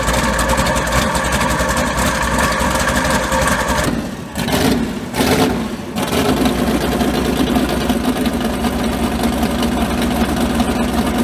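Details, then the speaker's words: Mud bog truck, not run since January, third attempt with a starter that had been grinding. A brief dip as it restarts, the starter engages cleanly with no grinding, then it catches and runs on evenly. "Alright, take 3 with the starter. See if she doesn't grind this time."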